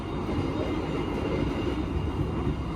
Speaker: kereta yang saya naiki ini pragam suaranya jelek banget ya teman-teman ini saya berada di kabin penumpang Serasa di Bordes suaranya loh berisik